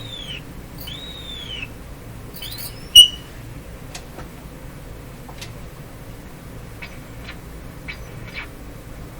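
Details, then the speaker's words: Philco 38-C7 tube radio during RF alignment check, volume full, dial at the far end of a different band: over a quiet hiss, high whistles swoop and bend in pitch intermittently as the set breaks into oscillation, cause not yet found. "well something happened what happened it's still happening this is another oscillation"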